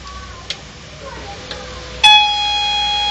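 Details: HP LaserJet 1010 at switch-on: a few faint clicks, then a loud steady grinding-like high whine with a rough edge; noise typical of a faulty laser scanner unit, which is to be replaced.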